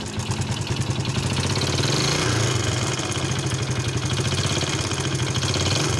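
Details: Yamaha Vega ZR small single-cylinder motorcycle running very noisily at a rough idle; a fast metallic clatter rides over the exhaust beat, and the head and magneto side are to be opened for diagnosis.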